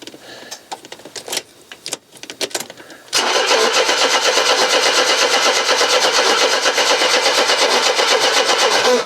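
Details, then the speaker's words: Mercedes W123 in neutral after long storage, a little petrol added (possibly drained to the back): the starter churns evenly at nearly three turns a second for six seconds without catching. Crank, no start; cause unconfirmed. "can smell a bit petrol why aren't you firing you this is taking me back to the bad old days of this car when it was just being a big lump of pig iron on the ground"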